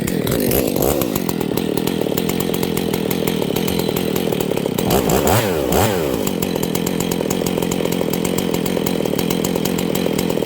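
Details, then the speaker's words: Husqvarna 268 chainsaw running poorly, being checked for a lean condition: fast buzzing run, then speed swoops up and down as the low-speed screw goes rich and lean, set about halfway, slightly rich; carburetor low-speed mixture adjustment. "basically you turn it rich till alts to die turn it lean until it wants to die I go about halfway in between those plus a little bit more on the rich side that should be your Optimum setting"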